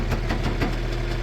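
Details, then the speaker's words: Old excavator, 24V system, dead over winter: sluggish starter churning about five labored compression pulses a second without firing; batteries too weak, boost needed; slow cranking. "Do you got enough juice in these batteries to crank it or do we need to boost it? >> I'm hoping I got enough juice. Oh, she's barely going."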